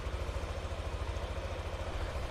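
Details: Old Yamaha NMAX scooter started with a DLC scanner connected, RPM read on the scanner: even, steady low putter with a regular pulse, no knocks or rattles; healthy, smooth normal idle.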